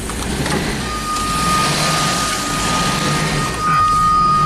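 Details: 1990 Jaguar XJS V12 after about 5 minutes of warming up: the idle rises and falls in slow waves instead of holding steady. The owner reports a too-high idle that surges while warming up.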